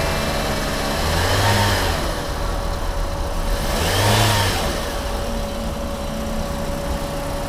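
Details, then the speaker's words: Used Toyota Yaris, about 5–6 months after purchase, with a loud engine noise, after water pump replacement: two smooth throttle blips over a steady idle, no knocking or whine, now quiet; normal engine revving. "ตอนนี้เราได้ทำการเปลี่ยนปั๊มน้ำเพิ่มเติมอีก1ตัวนะครับเงียบกริ๊บ"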